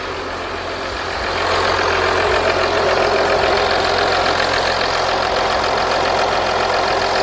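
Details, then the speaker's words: 2014 Audi Q7 3.0L after valve cover gasket replacement and high-pressure fuel line reinstall: engine settles into an even, steady idle with smooth regular beat and no knocks or ticks; healthy. "we're going to start the engine and let it idle for a few minutes and after that we're going to wrap up this video"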